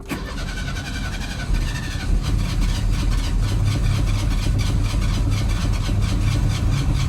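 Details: Chevy S10 no-start, weak fuel pressure reading against the 41–47 spec, cranked while feathering the throttle: starter grinds steadily at about four turns a second and the engine never catches; hard start, owner suspects a weak fuel pump or injectors.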